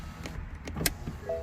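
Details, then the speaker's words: 2012 BMW 535i xDrive after driver's door switch cluster repair from rain damage: switch click, then window motor runs with a smooth even hum, no grinding or straining; windows and power mirrors working normally. "windows work power mirrors work beautiful now it's just the reverse process of taking off the door panel"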